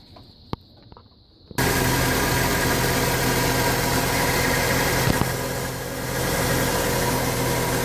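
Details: 1996 Ford F-150 4.9 300 straight six after tightening the belt-type harmonic balancer, identified as the cause of a long-running belt-like squeak: engine catches and settles into a smooth even idle, no squeak or chirp, sounds healthy.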